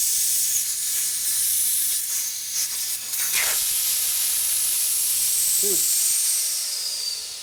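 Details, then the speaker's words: Harley panhead wheel inner tube being inflated after valve core fitted: loud steady high-pitched hiss of escaping air; bad tube/valve stem leaking, needs new tube. "This is leaking. It's leaking. Now it's really leaking too. There's something wrong with this tube."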